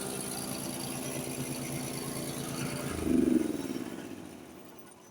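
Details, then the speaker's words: Serviced Honda HS828 hydrostatic snowblower with new belts and bearings: steady, even single-cylinder beat about four pulses a second with a brief load swell; runs smooth and healthy, as a Honda should. "did you hear the sound coming out of the out of the uh the shoot I mean that's the way a Honda should sound on these uh hydrostatic models when they're running"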